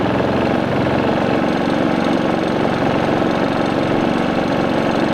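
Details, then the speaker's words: New Predator 3500 inverter generator powering an RV with the surge protector bypassed, at 124 V, 285 W, then the fridge added (553 W) and the AC fan (841 W); busy, even drone that holds its speed under load. "and we've got power and the generator load down just a little bit"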